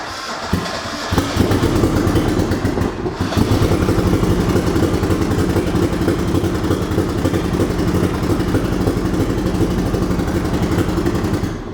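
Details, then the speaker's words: High-compression turbo Mazda Miata after a blown head gasket and head removal, first crank after reassembly: a lopsided, loping beat with uneven pulses, like two cylinders missing. Low compression on cylinders 3 and 4. "Oh god. Why does it sound like that? Jesus, that doesn't sound great. Doesn't sound like it's got compression on all four cylinders, to be honest."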